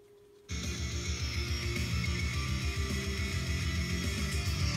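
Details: Bose Wave AWRC3G radio/CD after repair, which had buzzed and had no bass: a missing +10 V supply, open-circuit tracks and a failed resistor around the TL074C op-amp U600 were fixed; guitar music now plays clearly with no hum or crackle.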